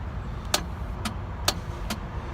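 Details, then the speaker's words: 1997 BMW R1100RT, 56,500 miles, won't start despite a charged battery: four sharp dry clicks about twice a second with no cranking; starter solenoid engages but the starter motor has failed. "there is a clicking sound that you will hear and that clicking sound is from the solenoid switch on a starter that would actually engage this sprocket to the flywheel but the motor is the one that is not working the starter motor that is not working"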